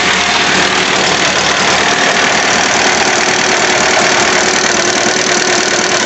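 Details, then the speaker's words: 2001 Honda Civic idling with a loose engine coolant temperature sensor connector (code P0118). When the plug is wiggled it loses contact, and the idle stumbles with uneven, rough, hissy beats: a misfire. "É aquele conector inho lá eu vou est dando um jeito de prender ele Você viu que depois que eu não tirei o carro começou a falhar"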